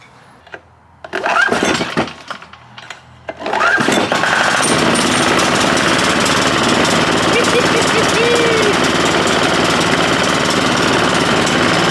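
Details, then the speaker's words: Hatz 1B20 single-cylinder diesel from a military surplus pressure washer, long sat, needs the battery to start: a few sputtering tries, then it catches and settles into a steady, even chug, running healthy. "okay noted it needs the battery to start but this thing is scooting and tooting and puffing out"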